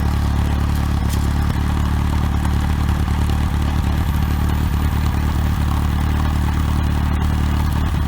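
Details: OMC 2.5 L 140 hp sterndrive in a 1981 Sea Sprite, started on water muffs after sitting since winterizing, warming up: a steady, even low rumble with no misses, knocks or hunting. Smooth, normal idle.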